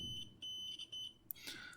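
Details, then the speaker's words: Continuity tester on an Adafruit Feather M0 Bluefruit microcontroller ground pin: short high-pitched beeps as the probes touch, showing a good ground connection. "we get that beeping sound which means that there is a connection or that electricity can flow from point A to point B"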